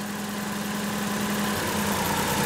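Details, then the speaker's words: Toyota 3VZE 3.0 V6 (1990–1995 4Runner/pickup, distributor) idling; pulling one distributor plug wire drops RPM, showing that cylinder fires properly, unlike number six which gives no change. "it kick down so that one was working right when you put back on it works fine"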